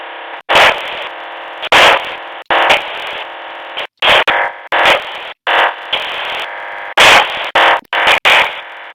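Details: Luiton LT-316 walkie-talkie on receive: choppy bursts of harsh static cutting in and out every half second or so; intermittent noise bursts, source of the interference unknown.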